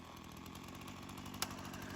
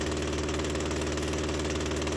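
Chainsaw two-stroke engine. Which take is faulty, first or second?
second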